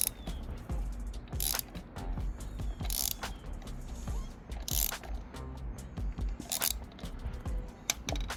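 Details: Benelli 302S, engine turned slowly by hand at the crankshaft bolt: an irregular heavy clunk every couple of seconds, like something dropping inside; owner suspects the engine is out of timing, not confirmed.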